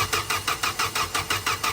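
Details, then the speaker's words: Tata CNG car with hard starting, weak acceleration, stalling and shaking, timing belt recently replaced: the engine chuffs in even hissy puffs about six a second, an air-leak sound suspected from a leaking gas injector. "เหมือนมีเสียงรั่วเดี๋ยวดูก่อนว่าหัวฉีดรั่วหรือเปล่าอ่าเหมือนหัวฉีดรั่วนะฮะ"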